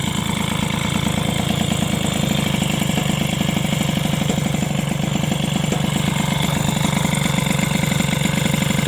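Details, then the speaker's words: Two-stroke moped with SPX/RCX engine mount, its spacer modified with polyurethane (a modification later judged not to work): busy idle, about three pulses a second, with a rough scraping on top; something is rubbing, source unknown. "par contre il y a vraiment un truc qui touche j'ai un truc qui fait du bruit là je sais pas ce que c'est ça"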